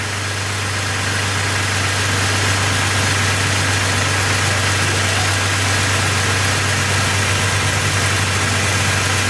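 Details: 2002 Jeep Grand Cherokee Laredo 4.0 L, which had been dying while driving and intermittently not starting, idling after crankshaft position sensor diagnosis and repair. Smooth, even idle with a steady low hum and no misses, knocks or stumbles.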